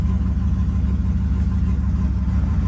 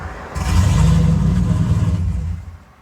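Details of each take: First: Stock turbo GMC truck engine, now warmed up after a cold-start surge. It idles steady and even around 750 rpm in closed loop, with trims back in range and no misses. Normal warm idle. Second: Turbocharged GMC truck on a custom tune, cold start: cranks and catches with a deep rumble, surges rich and lean as timing tries to correct the idle, then dies after about two seconds; runs fine once warm, cause unknown.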